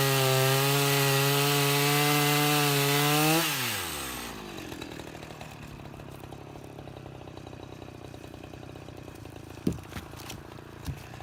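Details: Husqvarna 353 chainsaw after gas line and chain drive repair and carburetor tuning: holds a high, steady two-stroke scream for several seconds, then drops cleanly to a settled idle; sounds healthy and strong.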